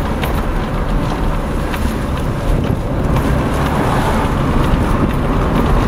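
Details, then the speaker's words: Suzuki Escudo on a test drive after front wheel bearing replacement, including a left-hand corner where the noise had been worst: steady road and wind rumble with no hum, growl or drone; the front bearing sounds normal. "nothing at all nice and quiet"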